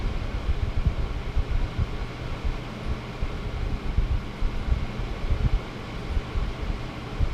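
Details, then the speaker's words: Corsair H110i cooler with ML140 Pro fans replacing stock fans, on performance mode: only soft even air rush, no motor whine or ticking, no louder than balance; previous fans buzzed and whined from the motor on balance or performance. "And now it's on performance. It did not get any louder. All I'm hearing is the air. That's crazy."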